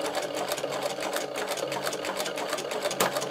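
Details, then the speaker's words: Podolsk sewing machine with a powerful servo motor meant for heavy machines, sewing thick leather with thick shoe thread at low speed; even rapid needle ticking, smooth motor underneath, no knocks or grinding; normal low-speed sewing. "Машинка отлично шьет, используя мотор. Двигатель очень мощный и хорошо охлаждает ."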